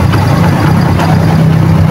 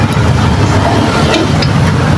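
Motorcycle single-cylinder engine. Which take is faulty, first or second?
second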